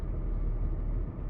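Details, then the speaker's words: BMW E39 Touring awaiting LS swap, at operating temperature with temporarily joined coil wiring: revs fine at any rpm but falls back, hangs, then drops further into low lumpy uneven idle with a dip; owner hopes fresh gas and new coils will smooth it. "and it's just a rough idle it's pretty rough too"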